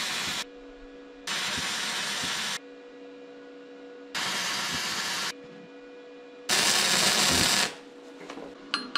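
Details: Vevor MIG-250 running gasless flux-core wire on negative polarity with roughly set voltage and wire speed: short bursts of steady, even crackling sizzle with quiet gaps, little spatter; a clean weld with no lumps, leaving yellow dust.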